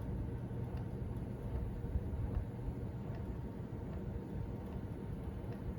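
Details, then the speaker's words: DeepCool LS720 AIO liquid cooler, about three months old: soft, regular clicks about twice a second over a low whir, in sync with one fan. Owner unsure if normal; AIO pump clicking. "another problem is that this one is having the clicking noise I don't know whether that's normal or not you can tell me about it"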